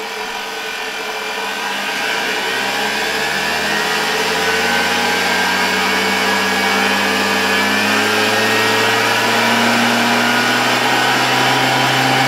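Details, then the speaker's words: 1987 Zelmer 200.8 vacuum cleaner, original type 300 motor with new brushes, on a voltage regulator. Motor winds up over two seconds to a high steady whine with gritty crackling hiss; excessive brush sparking, owner also suspects the speed is too high. "niestety Przyznaję że zaczyna mnie niepokoić to że wraz ze wzrostem napięcia Coraz bardziej zaczynają iskrzyć te szczotki i to niestety bard niż spodziewałbym się po tym że założyliśmy nowe"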